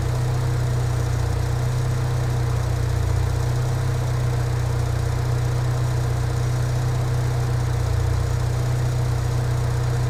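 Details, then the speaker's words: Engine idling after a throttle body cleaning: low, steady idle hum with an even pulse and no misses, knocks or hunting; idle now smooth. "The idle sounds good to me now."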